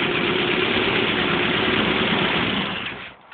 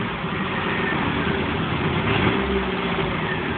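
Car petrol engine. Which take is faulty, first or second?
second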